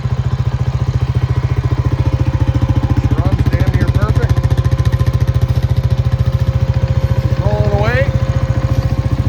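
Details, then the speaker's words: 2002 Honda Rancher 350 ATV after rebuild; even steady single-cylinder thump at slightly high idle, no knocks or rattles, quiet: normal idle. "Cuz the idle's a bit high."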